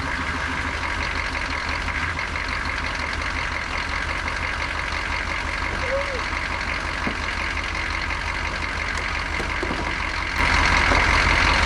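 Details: 1988 Chevy C2500 with a 6.2 diesel and Banks turbo, over 400,000 miles, after starting with a gas-soaked rag in the air filter, runs on its own with an even, steady clatter and no stumbling, then the noise steps up slightly.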